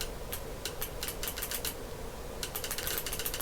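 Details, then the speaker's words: LRP-300V paper tape punch head under repair, first solenoid energized from a bench supply: crisp quick clicks in short bursts, clean snaps with no drag, buzz or sticking, fingers moving freely; normal solenoid actuation. "so it shouldn't there shouldn't be any signs of it sticking shouldn't be any weird noises and it should move freely and uh quickly"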